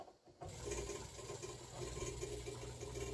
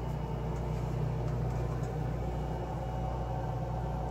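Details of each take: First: Old refrigerator on a DIY Nissan Leaf battery pack with a Reliable 1500 W inverter. Harsh fluttering buzz pulsing about twice a second while the compressor never starts: inverter overloaded by the compressor's starting current, too small to run the fridge. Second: Microwave running on a DIY Nissan Leaf battery pack with a Reliable 1500 W inverter; battery sags from 23.3 to 20.4 V. Startup sounds a little funky, then even magnetron and fan hum and four end-of-cycle beeps: normal operation.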